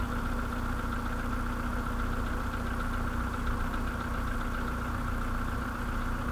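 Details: Idle on a 2013 VW Polo sedan with the CFNA engine at 192,000 km: a dull, even knock buried in the engine note, no speed change. Piston slap.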